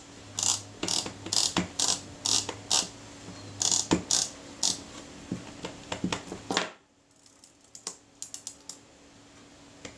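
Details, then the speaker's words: Kodak Retina IIa camera with corrosion, during reassembly: crisp, even ratchet clicks as the lever winds freely, the first step of the shutter film advance. The second step wasn't heard and the advance didn't release, so the screw was set too far. "That's the first step of the shutter film advance."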